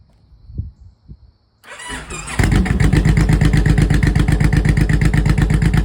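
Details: 2004 Honda VTX 1800C V-twin, first start after clutch replacement with exhaust and oil refitted: quiet clicks, brief crank, then catches into a steady, even loping idle; healthy start.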